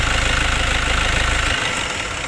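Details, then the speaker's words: Diesel engine idling with radiator fan rushing, then engine switched off and fan stops immediately at about 1.5 s; fan clutch (fan coupling) releasing properly, in good condition, part of a pre-trip cooling system check. "Oke jadi bisa kita lihat bahwasanya itu langsung berhenti ya pada saat mesin mati jadi itu menunjukkan bahwasanya pulpen atau pun piscopannya masih dalam kondisi yang baik"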